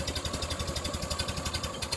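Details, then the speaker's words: 1930 Ford Model A heard from inside the cab, driving up to about 30 mph after a rebuilt muffler with new baffles: soft, even low thrum with regular pulses and no sharp bangs; exhaust now muffled. "so here's what I mean the sharpness is gone it sounds like it's DED down through a cushion or something it's no more bang bang"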